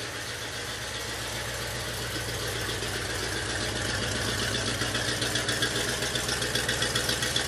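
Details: 1967 Oldsmobile 442 original 400 V8, rebuilt with new rod and main bearings and rings, on engine stand, about 180 psi compression, good oil pressure; steady even idle beat about four pulses a second, no knocks or stumbles; normal idle.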